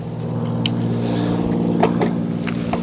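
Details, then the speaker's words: 2024 Wired Freedom e-bike, rear derailleur after indexing adjustment: steady drive hum with brief light clicks as each gear drops in while shifting through the cassette, no chatter or noise; normal gear shifting. "And as you can see there, no problems and no noise. So that's how you want it to be when you're shifting those gears."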